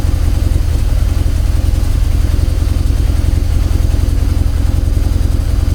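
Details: Mazda RX-8 Renesis rotary newly fitted with a Haltech Nexus R3 ECU, smelling lean, after the belts were tightened: a steady, low, burbling idle with even pulses and no knocks or rattles; runs smoothly.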